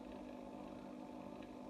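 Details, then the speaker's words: AEG Silent System plus 86850 washing machine, street find, tested empty on 1600 spin program; soft steady hum, drain pump louder than motor, presumably a three-phase induction motor; quiet healthy spin start. "can you hear it i can't the pump is louder than the motor that's excellent"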